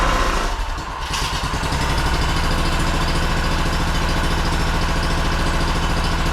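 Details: Honda two-cylinder engine run after sitting 10 years in a shed; its fuel pump diaphragm was dried out, so fuel was pressure-fed from a jug. A steady, even putter with no misses or knocks; runs smooth.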